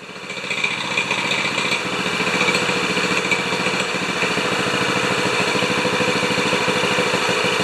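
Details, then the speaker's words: 196cc single-cylinder plate compactor, previously seized, now running after repair. It settles into a steady, even fast beat with no knocks or misses under clutch load: normal running. "sounds pretty good actually clutches too okay i call that a success we've gone from a seized plate compactor to an operational plate compactor"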